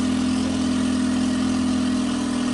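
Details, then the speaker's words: Brand-new outboard on a 2020 Triton 216 Fishunter warming up: smooth, even hum at a raised fast idle, crisp and not racing, with revs being brought down; healthy. "We'll just kind of let it warm up, and we don't want to have it racing, but we want to have it running crisp."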